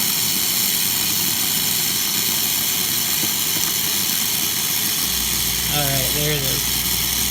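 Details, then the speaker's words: Isomac Millenium espresso machine after full service, hot water drawn below the water level sensor: steady hiss, then low vibratory pump hum with a pulsed tone cutting in near five seconds; autofill refills, stops quickly. "Hoping to empty enough water where you can hear the pump activating because the water dropped below the water level sensor, and now it's reactivating the kick on to replace the water that we have displaced."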